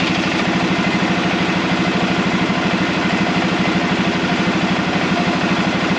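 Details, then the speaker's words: Arctic Cat Prowler engine running again after rebuild with new pots (cylinders), warming up on the stand while bleeding air from the cooling system; even, regular putter at constant pace, no tapping or stumbling: normal idle. "She runs. Been a long time coming, hasn't it? So we still got a lot to do on this thing, and I'm pretty happy with the way this is running right now."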